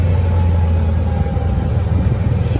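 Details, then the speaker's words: Club Car golf cart after throttle cable adjustment and governor de-restriction, climbing a steep hill under load after complaints of sluggishness: deep, steady drone holding firm without bogging or surging; normal running under load, pulling much better. "done now I really want to go up here doing a lot better"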